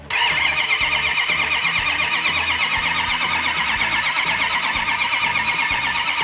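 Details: Rebuilt 1971 Hemi Cuda V8, cranked without ignition to let the camshaft-driven mechanical fuel pump fill the carburetors and build oil pressure: even starter churn about two turns a second, bright whirr, healthy cranking.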